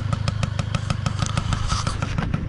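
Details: Honda Wallaroo two-stroke idling; even popping about six beats a second, no misses or rattles; smoke only from the silencer, not the cylinder; runs healthily.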